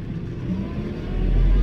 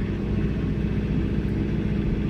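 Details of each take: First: New John Deere 4066R compact tractor with auto throttle active, driving: diesel note climbs smoothly and promptly as the pedal goes down, no stumble; engine speed adjusts normally to pedal position. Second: John Deere 4066R compact tractor, C range, load match deactivated, throttle raised then hydrostatic pedal pressed fully: diesel drone drops and labours heavily, nearly stalling; engine bogging under load, which load match is designed to prevent.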